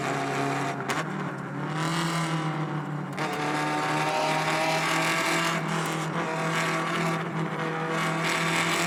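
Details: Alfa Romeo Spider 105 Veloce with a restored, fully rebuilt 1750 four-cylinder, driving on the road: a crisp note pulling cleanly through the revs over road and tyre noise, with no knocks or misses. Normal running.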